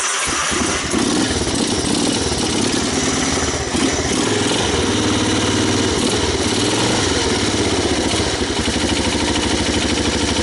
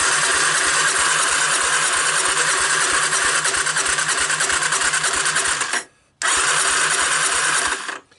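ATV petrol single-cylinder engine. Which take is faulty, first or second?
second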